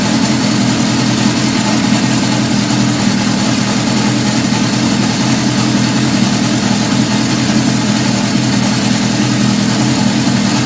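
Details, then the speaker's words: 1977 Honda CB750 F2 four-cylinder, first start after a complete engine rebuild, with a 115 main jet, stock air box and mixture screws 1.5 turns out. Idles fast and steady with a flat, hollow note and no clear misfire. Owner suspects it runs lean and plans quarter-turn mixture adjustments. "i'm only one and a half turns out it's kind of lit sound like it needs a little bit more gas so i might give it just a quarter of a turn out at a time test that out"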